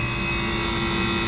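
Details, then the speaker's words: Water-cooled walk-in cooler compressor after repair for breaker tripping: constant even hum, steady pitch, no clicking, rattling or cutting out; running normally. "but for now let's let it run and check temperatures in the box and see what happens"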